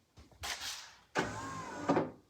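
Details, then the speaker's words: 1988 Toyota MR2 AW11 pop-up headlights switched on: two short whirring motor runs of about a second each, each ending in a soft clunk, as the headlights raise and lower normally. "But yes, the pop-ups work. We hit the switch."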